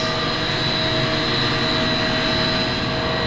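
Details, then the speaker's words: Large commercial centrifugal HVAC condenser water pump in auto after strainer cleaning maintenance, VFD about 37 Hz at 62.2%: steady even hum with constant motor whine, no knocking, rattling or surging; normal operation. "It just did it itself. It ramped up and came back down. So, we're running the pump at 62.2%."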